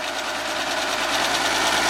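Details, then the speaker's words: 15-year-old Field SWG-4 power venter on an oil-fired boiler: harsh rattling fan whir with uneven shaking, venter vibrating from rotted housing, later replaced with a new one. "shouldn't be shaking like that I'm gonna take it apart and see what's going on with the blade"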